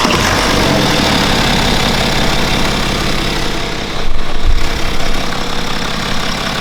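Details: BMW N57 diesel after timing chain and main bearing replacement: steady even idle with a smooth low rumble, no knocks or misses; engine sounds healthy.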